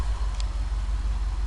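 Deep, low idle with a slightly lumpy, uneven pulse, the beat of a cylinder missing; worn rings are costing compression.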